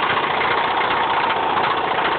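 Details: Mazda 6 engine idling with a loud, steady rough metallic clatter from the bottom end: epic rod knock at idle.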